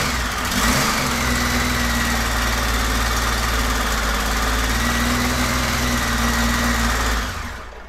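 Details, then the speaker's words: 1999 Honda Valkyrie Interstate, first start after sitting for years: the idle wanders unsteadily for several seconds, then sags and dies. It won't hold an idle; owner suspects the idle adjustment is far off. "does not want to stay running that idle at all it's almost like the idol is way off as far as the adjustment"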